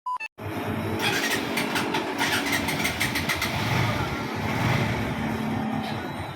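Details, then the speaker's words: NS150 motorcycle after repair (cylinder head replaced, blocked oil supply passage rerouted, conrod checked OK) starts and idles steadily with the previous ticking gone: normal idle. "na wala na yung lagitik h maganda pa kahimig pa walang tama yung conrad"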